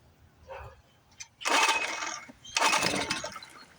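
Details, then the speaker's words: Neglected outboard motor on choke, fuel pumped up, a different set of plugs, carburetor needle possibly stuck: two cord pulls, and on the second it catches with a short ragged burst then dies; fires briefly but won't keep running. "Second pull kicked. Here we go. Push the choke in."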